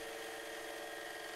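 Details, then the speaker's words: Lathe spinning two short steel rod pieces pressed together in a TriboDyn three-stage lubricant test. With pressure increased, the second stage works and the sound smooths into a steady, even hum. Normal lathe running. "we now increase the pressure and the second stage begins to function and you will actually hear the sound smooth out in the lathe"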